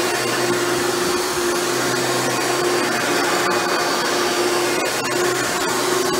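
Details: Hoover Elite upright vacuum after a motor rebuild with new motor bearings, test run: smooth, steady high-pitched motor whine with no rattle, scrape or wavering pitch; runs much better than when first acquired. Normal vacuum motor run.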